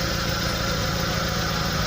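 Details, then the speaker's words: SS pickup at idle with a snoring noise: rough throaty puffing, pulsing with each firing stroke and louder than normal; cause found as a holed exhaust pipe, with old weld patches nearby. "Nah, dan biasanya ini penyebabnya yaitu ada kebocoran dari pipa knalpot pembuangan."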